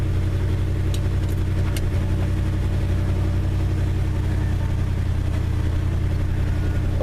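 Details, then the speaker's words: 1974 Ford F250 390 V8, first cold start after 20 years, no temperature yet and no oil pressure reading, fuel line back-filled: deep, even rumble holding a steady idle without misses or knocks; normal idle. "showing just a little bit of gas in the tank but as you can hear sounds like it's running good"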